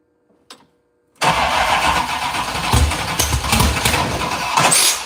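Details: TKM Performance 6.0 engine with Holley Terminator X EFI, compression over 11:1, first start attempt: long steady starter churn, never catches; crank no start, cause unconfirmed.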